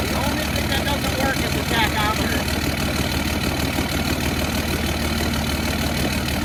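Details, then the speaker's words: Cummins diesel swapped into a Humvee, first fire on new self-contained fuel system with fuel cell, bleeding air bubbles; smooth even diesel clatter at steady idle, no misses or knocks, normal healthy idle. "that engine sounds better every time I turn it on I love it"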